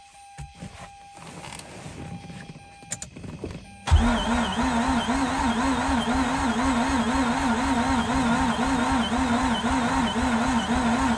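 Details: 2004 Mazda RX8 manual, unstarted for two years. The starter spins the engine in a steady wavering rhythm of about two pulses a second, but it never catches. Cranking no-start; cause not confirmed.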